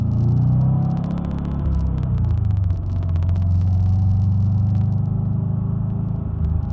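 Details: Supercharged Subaru SOHC EJ25 bogging under boost: deep rumble stumbling and wavering under load with uneven pulses and brief sharp ticks; cause was excess water-methanol injection, fixed by fitting a smaller meth nozzle.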